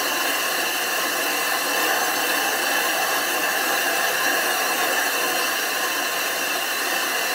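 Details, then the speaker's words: Grinding the back of a 25-inch F3 telescope mirror blank flat after thinning it from 2 in thick, using abrasive slurry: a steady, even howling grind with no catches or chatter, showing the glass is being cut properly. "and you want to hear that howling grinding sound if it's not howling it's not grinding"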